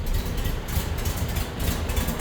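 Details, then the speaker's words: 1952 VW Split Window Standard Beetle, 25 hp flat-four, stock exhaust, wrong intake manifold: cold start via floor choke and starter button, then easing off choke; low busy chatter at slightly raised even fast idle, no knocks or misses; normal. "Get it started, and then kind of ease off the choke depending on how warm the motor is, and"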